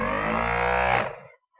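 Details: Ford Focus 2.0 TDCi ABS hydraulic pump motor, removed from the unit and run on the bench: steady even hum for about a second then a clean stop; owner's original motor sounds smooth, unlike a used eBay motor with a failed bearing.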